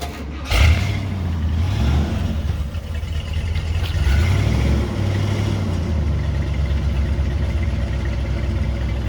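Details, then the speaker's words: 1969 Cadillac DeVille convertible, rebuilt 472 V8 with 4bbl carb, automatic, new exhaust and mufflers, new cap, rotor and wires: catches quickly, rises briefly, then holds a smooth, deep, even idle with no misses or knocks; manifolds quiet, no leaks. "Sounds great. There she is. Runs nice, huh? 172 cubic inch. Big boy. GM power."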